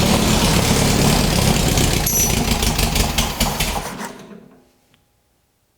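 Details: VW dune buggy with a rebuilt 1600cc dual-port engine on a start attempt: fast, churning turnover about three to four beats a second that never catches and fades to silence; the engine likely flooded, cause not confirmed.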